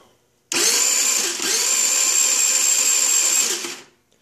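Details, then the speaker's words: Chinese 49cc scooter that won't start: fast, high starter whirr for about three seconds, no firing; fuel present but no spark at plug, caused by failed CDI box. "so again I have no sparks so I already know that that's an issue"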